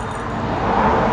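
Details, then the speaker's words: 2005 Isuzu D-Max front-of-engine noise, earlier blamed on the A/C compressor, traced to the A/C pulley bearing (6203): removed pulley spun by hand gives a dry, gritty rattle, bearing rough and worn, to be replaced. "ช่างมะตรวจพบว่ามันเป็นเสียงดังจากลูกปืนลอกแอร์นะครับไม่ใช่คอมแอร์นะครับ"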